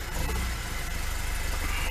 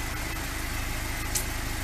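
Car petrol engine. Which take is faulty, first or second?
first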